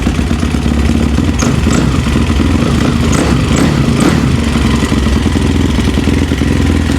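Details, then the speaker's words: Yamaha YFZ450 quad rebuilt with a 480cc big bore kit after a blown head gasket, muffler just tightened, choke off: even single-cylinder thump at idle with light valvetrain clatter, no misses or stumbles; starts easily, normal idle. "Seems to be running pretty good. Seems to start better off the rip right there, you know, just, I personally, one of my rules of thumb is how easily and consistent does it start back up."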